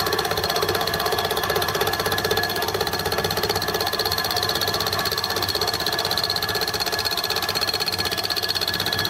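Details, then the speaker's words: Gingery homemade milling machine test-cutting with a fly cutter: steady fast tick about four per second over machine hum as the cutter heel rubs the work on the back of the cut. "you can hear you're a slight noise on the back leg"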